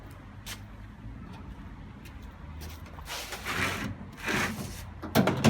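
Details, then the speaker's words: Haier washer dryer being deliberately smashed with a brick in the drum: motor keeps spinning under irregular heavy thumps and bangs as the brick slams around the drum. "Doesn't like it. Doesn't like the brick. Motor's still working. You hear that banging?"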